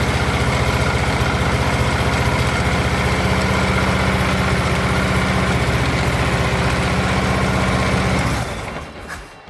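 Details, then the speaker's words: Harley-Davidson Ultra Limited V-twin idling with steady loping thump, about four beats a second, then shutting off, after replacing a faulty starter (suspected starter clutch) that made an odd noise instead of engaging. "Well, got to say I am happy with that. That seemed to do the trick perfectly."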